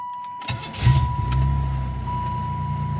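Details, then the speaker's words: 1995 Buick Regal just started after body dampener replacement: engine catches quickly and settles into a low, even hum with no shudder or body vibration; normal running. A pushrod/rocker rattle only when cold was noted. "oh smooth as butter smooth is butter there's no more vibration"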